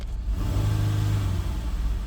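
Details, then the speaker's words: 2018 Dodge Durango, 3.6 L V6, check engine light on, transmission reported bad, AC off, free rev: low rumble rises unevenly and drags instead of climbing cleanly; hesitant revving, cause unconfirmed, possibly a sensor. "all right it revs up hesitant but if I put it in drive it"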